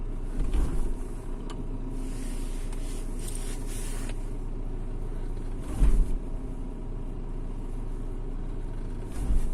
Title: Shogun 3.2d clunk noise